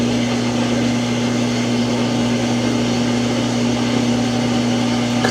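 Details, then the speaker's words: Samsung washing machine: as the drum starts spinning a loud, steady low humming drone, tub shifting around; abnormally noisy spin cycle that will not complete. "Still not working. Spin cycle will not spin. Now it's starting to spin, and it's probably going to make that noise again."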